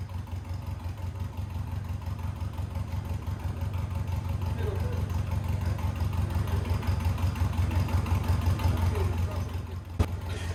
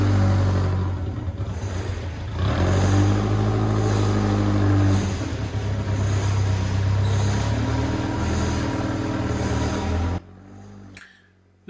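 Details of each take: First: 1990 Birkin S3 Lotus Seven replica, off the road five years: engine revved steadily with regular low pulsing, then a sharp jolt when the brakes are stamped on with the clutch pedal down, trying to shock free a clutch plate frozen to the flywheel. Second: 1990 Birkin S3 Lotus 7 clone, first drive after five years off the road, with the stuck clutch just freed: deep, steady engine drone rising and falling smoothly with throttle as it pulls away in the yard; runs clean.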